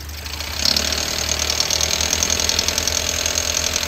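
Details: Toyota Yaris engine running steadily with an uneven rattle and thin high squeal over it as it revs, from the belt area; drive belt tensioner suspected and replaced.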